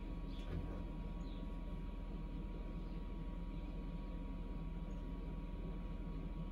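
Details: Samsung Eco Bubble WD106UHSAWQ washer-dryer on a 2-hour timed drying of a blanket, panel sitting at 1 minute remaining for several minutes: steady low drum rumble and even motor hum, no knocks or scraping; normal drying cycle.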